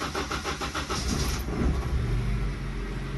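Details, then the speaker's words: Turbocharged Honda R18 4-cylinder with an eBay turbo, first start after fitting new injectors and priming the fuel pump: cranks with quick chugs, then settles to an uneven, lumpy, wavering idle. A rough start with a shaky idle. "that's a little rough but she got it going"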